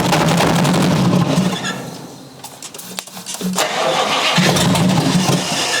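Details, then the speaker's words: 1956 Chrysler Windsor 331 semi-hemi (Poly) V8, formerly stuck engine freed, run without proper carburetor: brief cranking, fires and runs rough but no hammering or bottom-end knock; normal start. "again we want to find out if this is worth investing our time in if this engine is hammering which I think is sounded pretty good no hammering there"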